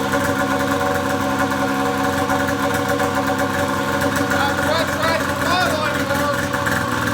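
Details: Polaris Pro XR 800 two-stroke snowmobile engine started after head gasket replacement for coolant burning: steady, even idle with consistent tone, no stumbling or surging, no white smoke; running cleanly.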